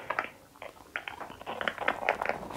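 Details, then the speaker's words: Wyze Video Doorbell audio feed, lapel mic held to it: irregular sharp clicks and ticks pop through quiet hiss at no steady rate, an intermittent clicking fault said to be addressed by a firmware update but still present here. "if i take my lapel mic and put it here you kind of hear these weird clicking sounds"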